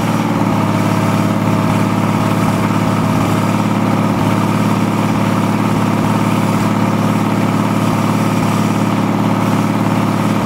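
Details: VM/BMW D190 marine diesel, first start after rebuild following a broken valve, with liner, piston and head from a VM 2.4 L: lumpy, hunting idle of about 2.5 pulses a second; air drawn in past a leaking seal at the front of the injection pump.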